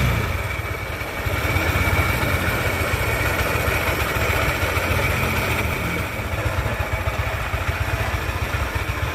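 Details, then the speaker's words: Yamaha NMAX started without the CVT pulleys fitted: an uneven, clattery rattle over a busy low idle that stays through light revving. The roughness is suspected to be inside the engine; cause not confirmed. "So I just use the front 4 of course to turn it on, right without using Pap or pulleys on the back, the sound seems to still be clear. The rough sound is like this."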